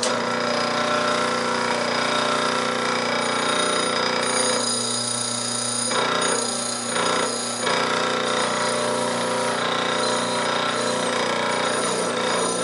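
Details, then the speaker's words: Old Hercules split-phase electric motor running with no load: a steady hum with rough buzzing chatter that never settles, from worn-out bearings with noticeable play. "I just wanted to show you how these old worn out bearing sound with no load on it"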